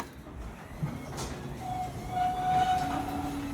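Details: Garage door with new chain rumbling down with a faint scraping squeal from tight hinges binding in the middle of the door, not the chain; lubricating the joints fixed most squeaks, with some remaining noise suspected to come from an unlubricated belt joint.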